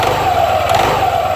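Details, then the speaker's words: Yamaha NMAX/Aerox 155 scooter, CVT with clean parts: on pull-away a shuddering low pulse runs under the steady drive whine; clutch judder from weak, loose CVT clutch springs. "kelihatan tampilnya getar banget ya tarik set lengket tarik jadi gejalanya seperti itu ya"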